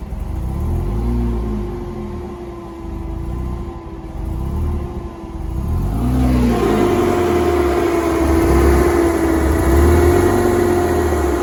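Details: Porsche Boxster 987 2.7 petrol engine at operating temperature: uneven idle with wavering, dipping hum as revs hunt up and down; rough idle and stalling once warm.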